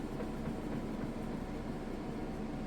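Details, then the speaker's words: Kenmore direct-drive top-load washer on its spin cycle, heard from outside: fast, steady rumble with a faint regular rhythm and no knocking or scraping; spins fast with hardly any vibration or movement, sounds great. "as you can see from the outside sounds great hardly any vibration or movement at all"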